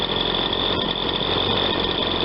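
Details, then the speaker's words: Ryobi 20-inch 40cc chainsaw after repair and warm-up, on a hot restart. Steady high-pitched scream at full speed with only faint two-stroking burble. Slightly lean high-speed running, judged a little lean but left as is. "that's a new speed sounds like it's two cycling a little bit just enough to get a good lubrication on the high speed it is a little a little lean i think but i'm gonna leave it"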